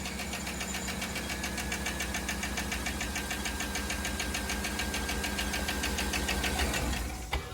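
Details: Chevy Suburban at a steady idle, with a light, fast, even tick of about three a second on top of the engine. It seems to come from one bank; a lifter tick is suspected but not pinpointed.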